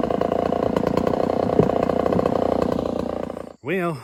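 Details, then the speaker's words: Homelite 1050 100cc two-stroke chainsaw with 404 chain, first cut in wood: high thin buzz under cut, strained and short on power, running lean despite richening; owner suspects a serious air leak. "1050 isn't running so hot guys um i keep riching it up and it's still running like it's lean so we got some sort of a serious air leak going on"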